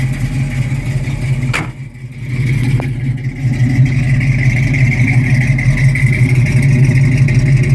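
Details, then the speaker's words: 1972 Mustang Mach 1, 351 (5.8L) with solid-lifter cam, Edelbrock intake, Holley carb and headers, just after a cold start: a deep, lopey idle with light tapping, then a blip. The tapping is normal solid-lifter noise. "It's a solid lifter cam, you can hear it. That little bit of tapping noise is your solid lifter cam. It kind of freaked me out the first time I heard it"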